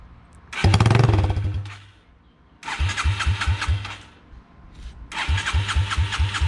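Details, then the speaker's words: Yamaha TTR 225 after rebuild, no muffler fitted, started on choke: loud open-pipe single barks to life and revs in surges with sharp cracking pops; backfiring and shooting flames from the unmuffled exhaust. "it's backfiring it's shooting flames let's go put the exhaust pipe on"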